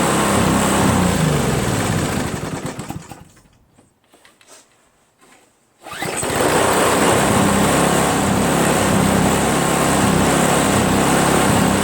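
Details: Craftsman 522 4-cycle single-stage snowblower after draining water from tank, cleaning carburetor, replacing fuel lines and primer hose: runs steady, dies briefly, restarts and holds a constant smooth note; healthy.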